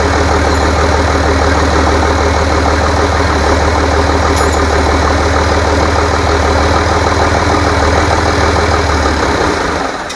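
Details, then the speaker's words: Rebuilt International DT466 diesel from a loader, previously knocking, first run after priming: steady, even diesel clatter at idle with a smooth low drone until shutdown at the end; no knock, runs healthy. "so now we know it runs good uh so far we're going to do some other maybe adjustments and a few other things"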